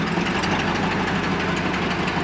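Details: Camaro on first start after a quick exhaust weld repair, with a dead animal blown out of the exhaust: rough, loud idle with a heavy knocking beat under the exhaust noise, running terribly. Internal engine knock, cause not yet found.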